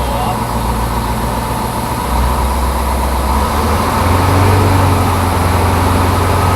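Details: Crane truck with a Detroit 8.2 diesel, 513 hours, idling just after start while building air pressure: even, steady idle with a couple of smooth step-ups in speed and no knocks or misses. Oil pressure is over 60 psi with no excessive blow-by; healthy.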